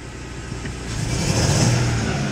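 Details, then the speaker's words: 2004 Jaguar S-Type engine revving unevenly with a rough, stumbling note: a terrible misfire; cause not yet confirmed. "man we've still got a terrible misfire that's not for sure we were to fix that"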